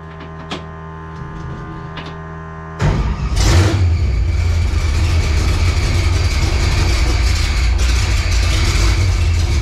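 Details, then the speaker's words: Project drag car with newly installed NHRA driveshaft loop and re-routed fuel lines, very loud fuel pump: starter catches and engine jumps to a loud, rough, uneven rumble; abnormal sound. "That didn't sound good."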